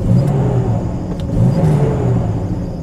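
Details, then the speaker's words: 1990 Jeep Comanche after repair, driving at full throttle: engine pulls cleanly with a smooth rising rumble, no cutting out, hesitation or skipping; repaired and running well. "All right, we are rolling. Nice power. It's not cutting out or anything. Pedal to the metal. Nice. It's running really good."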